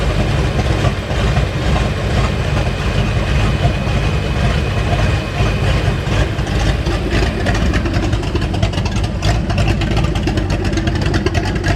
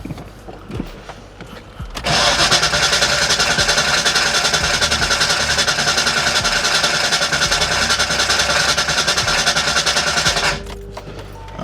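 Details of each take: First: 1989 Mustang GT V8, revived after sitting over 10 years, with the fuel system still to be replaced: a deep, steady burble at idle with even beats and no knocks or misfires; oil pressure good, voltage still to be checked. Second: 1989 Ford Mustang GT after sitting over 10 years, fuel flowing to rail and return: brisk even cranking about 3.5 turns per second for eight seconds, never catches; cranks, no start.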